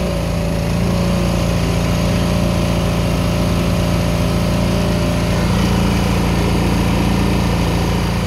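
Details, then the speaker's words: Old small generator bought cheap, not running until the fuel filter was removed and fuel squirted in: now runs with a steady, even buzzing drone at constant speed, no surging or stumbles. "hey it's running"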